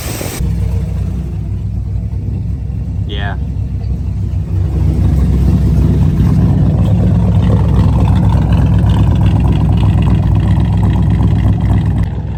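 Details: Square body Chevy 350 V8 running again after six months off, following repair of a broken starter bolt hole in the block; deep, even burble picking up smoothly to a steady idle with no misses or knocks, healthy idle.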